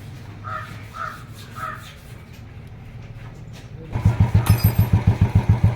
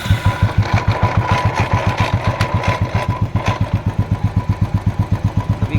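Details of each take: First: Royal Enfield Classic 350cc single after replacing the bearing that caused the engine noise: birds, then it fires up into an even thumping idle of about three and a half beats a second, no knock or rattle; normal idle. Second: Royal Enfield Classic 350cc single-cylinder idling with a slow thump and uneven metallic rattle that comes and goes; engine noise traced to a broken clutch-side bearing.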